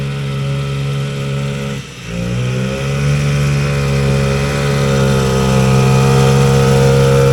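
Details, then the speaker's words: Vintage single-cylinder two-stroke race sled on test drops out and stumbles near two seconds, then drones slowly back up without snap; it ran better when first built, and the weather is partly blamed. "well well that sucked yeah so when we first built it it definitely worked a lot better than that"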